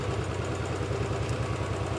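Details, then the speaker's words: Royal Enfield Bullet 500 B5 single at warm idle after rebuild: a light regular tick on each cycle from the top end, slightly better than before. Traced with a screwdriver to one pushrod that ran extremely warm and whose end is worn eye-shaped. "listen you can just about still hear it ticking now when that Stone Cold a nothing uh it's slightly better than it was but put a screw driver to it it sounds the worst on this push rod which was the one that was extremely warm"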